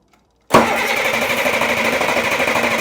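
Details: Rebuilt Caterpillar 3306 diesel from a 977L track loader, after head bolt work and bleeding injectors: silence, then abrupt catch into a rough, clattery run; hard start, owner suspects air in the fuel or head gasket compression loss.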